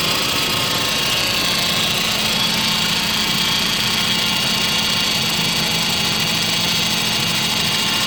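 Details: 2005 Saab 9-5 ARC 2.3t with code P0300, a surging rough idle, and occasional stalling when coming to a stop: an uneven idle with a faint stumble under a hissy note; the cause is not confirmed.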